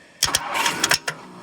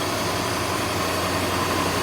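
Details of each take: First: 1964 Ford Thunderbird with a no-crank fault, the starter S wire jumped with a jumper wire: short rapid bursts of cranking over about a second. The starter turns, so the fault is in the start circuit; the neutral safety switch or column wiring is suspected. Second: 1964 Ford Thunderbird, started by jumping the starter relay while chasing a no-crank fault near the neutral safety switch: fires right up to a steady, even idle hum with no knocks or misses over fan noise; normal idle.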